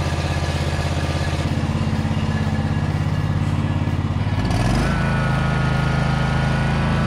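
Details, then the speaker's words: John Deere Z445 zero turn with Kawasaki engine, believed 25 hp, 2876 hours, after priming a dry fuel filter. Even, steady drone picking up cleanly with no surging or popping; not perfectly normal but has the power it needs. "it sounds really good now pretty good as you can hear it in the background it's still doesn't sound perfectly normal but it definitely has the power it needs"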